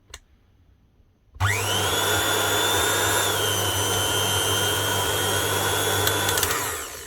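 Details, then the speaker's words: KitchenAid Artisan food mixer bought as spares or repair, leaking some oil, fails on the first two speeds: motor spins up to a steady whine that sags slightly and won't reach full speed; owner suspects speed control board, faulty or needing reset. "And she doesn't have full speed. Right, that's not that big a deal. We can do something about that. That might just be the actual speed control board inside."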